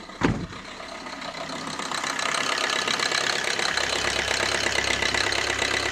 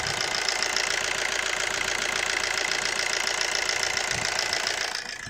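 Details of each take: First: 2007 Suzuki Swift diesel, about 5.5 lakh km, long cold cranking and misfire feel: engine clatters at fast uneven idle, RPM rising high a minute after start; scanner shows four DTCs including glow plug and EGR. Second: 2007 Suzuki Swift diesel after a new DRV was fitted on the fuel rail and the rail was air-bled. Earlier complaints were long cold cranking, high idle RPM and a misfire feel. It now starts on short cranking and settles into an even, smooth idle with regular injector clatter.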